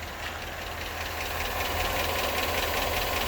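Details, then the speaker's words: 2008 Chevrolet Avalanche V8 at idle after new AFM lifters were fitted: light, steady ticking about 2.5 per second, audible from outside; still not right, and the owner suspects a damaged rocker bearing. "I don't know. It's definitely not right. I know it should be totally quiet. Yeah, I can hear it out there. Yeah."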